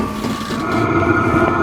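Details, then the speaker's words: Vevor 12V 5kW diesel heater just lit after start-up, when the fuel pump was ticking, in 35°F outside air. It gives a steady, soft, even hum with no popping or sputtering, burns normally and warms up gradually. "yep it's definitely fired up that's pretty hot coming out of there so you see this isn't instant heat when you turn the thing on it does take a while to warm up"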